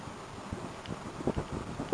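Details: LG air conditioner, noisy for a month, technician unsure of the cause: loud rushing run with irregular rattling thumps as the cover shudders; owner suspects something loose inside, cause unknown.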